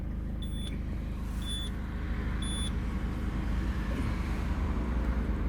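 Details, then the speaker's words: Peugeot 207CC convertible roof that won't open though all four windows work: three warning chimes and a message over a steady low hydraulic pump hum when the roof open is tried. "Et on entend la pompe hydraulique."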